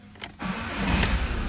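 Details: Ford Mondeo Mk5 2.0 diesel after a broken high-pressure fuel pump shaft was fixed and the fuel system primed: a brief quiet, a click, then it catches and settles into a steady low diesel rumble with no stumble; normal start.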